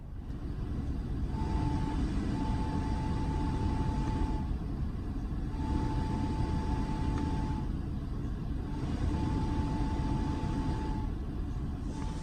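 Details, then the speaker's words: Skoda Kodiaq at about 50,000 km, driving: a thin, steady whistle from the heater blower comes and goes in stretches of a few seconds over road rumble, mostly when turning the control or cornering; owner suspects a gyroscopic effect on the fan, cause unconfirmed. "там была немножко слышно да как свистит сейчас уже так не свистит вот именно вот когда регулятор крутишь"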